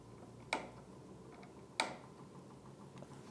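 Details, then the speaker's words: DIY magnet-and-coil pulse motor, eight hand-wound coils, rotor spun by hand with timing to fire just past top dead center: two crisp ticks about 1.3 seconds apart as the coils fire on time and speed begins rising; normal firing. "now I can hear it firing. If we've got it hooked up correctly, it's going to start to increase in speed, RPM, which it is."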